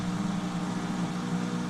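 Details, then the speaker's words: Kenmore washing machine after repair (coin basket refitted; fault turned out electrical): even low hum at one steady pitch, no rattle or grinding; drain pump running normally. "so far so good that sounds like the dread the pump thingy I fixed it boom you hear that noise"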